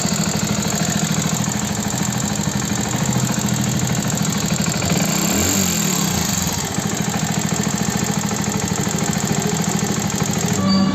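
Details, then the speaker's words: Hero Passion Plus BS6 motorcycle, 13,454 km, idling: fast light metallic tapping about three ticks a second over the single-cylinder idle; a mechanic blamed the timing chain, but it is actually fine; valve tappet noise from loose clearance. "देखो 13454 किमी bike चली हुई bike के engine में इतनी ज्यादा sound है check"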